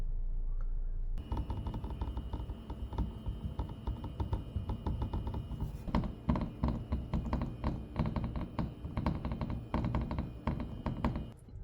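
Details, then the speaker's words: Tesla Model Y/3 driving on uneven roads. Irregular light plastic clicks and rattles over road rumble seem to come from the front dashboard, but actually come from gapped clips on the front air intake cover panel under the hood. "it typically happens when you drive on uneven roads and it feels like it is coming from the front of the dashboard"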